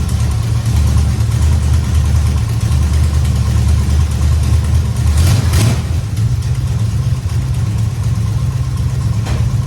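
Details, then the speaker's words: 1969 Dodge Charger V8 after power steering work: deep, even idle with steady lope and no whine or groan from the steering pump; sounds healthy, though slight squeal noted at full lock and a small fluid drip at the high-pressure line. "Check it out. Everything seems to be working pretty good. So, everything went good."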